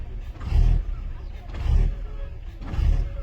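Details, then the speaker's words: 2007 Volkswagen Jetta idle surging: engine hunts, idle swelling and sagging about once a second after codes cleared (fan control module, steering column communication remain); loss of throttle response, unburnt gasoline smell noted, air intake temperature sensor being checked, cause unconfirmed. "So let's go ahead and start the car again and see if it's gonna keep doing a surgeon idle. It's still doing it."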